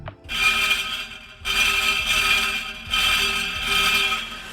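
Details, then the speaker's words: Nissan 350Z after a new Flashark Racing Y-pipe was fitted. Tapping the exhaust sets off tinny metallic buzzes lasting about a second, three bursts in all: a loose internal baffle rattling inside the pipe, to be removed. "okay that is my rattle now if I go over to the passenger side and I'm going to hit that"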